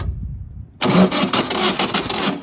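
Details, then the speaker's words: 1970s VW sand rail, stock 1200cc engine, cranking: starter turns it steadily but never catches; 12 volts to distributor center cap but no spark, distributor points found badly corroded. "We had 12 volts to here. We have 12 volts to the center cap on the distributor, but we weren't getting sparkaroonies."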